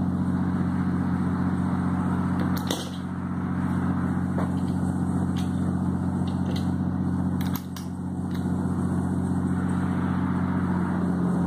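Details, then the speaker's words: Ventisol wall fan that had stopped turning on: steady motor hum with a faint rattle and sharp clicks while running, from play in a loose, worn motor bearing. "mas por que acontece isso porque está com folga no rolamento"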